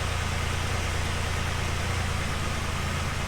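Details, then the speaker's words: 2010 Dodge Ram 3.7 V6 with replacement engine, check engine light on: uneven, lumpy idle with a loping beat under a hiss, injector ticking considered normal; rough idle, cause not yet found. "Hear how rough that's running? That lope to the engine."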